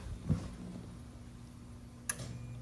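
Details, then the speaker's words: Crown Aruba AWR070B hydronic boiler after control board replacement, restarted on a call for heat: circulator starts, then a click and low steady motor hum as the vent damper drives open smoothly; normal vent damper operation. "I'm turning the boiler back on it's running through its self test and for TT it's yeah it's getting a call for heat now so you could hear the circulator starting so that's a good sign uh damper vent should open"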